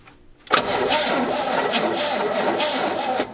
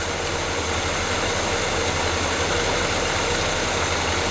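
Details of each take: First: Restored GMC 3500 long bed pickup, sat since 1995: engine catches and idles with a wavering whistling hiss; vacuum leak suspected, throttle shaft seen leaking, dust blown from exhaust. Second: GMC 3500 long-bed pickup with Quadrajet carburetor, after fitting the correct carburetor base plate: even, settled V8 idle rumble with slight hiss, no stumbling or shaking; engine now idles properly.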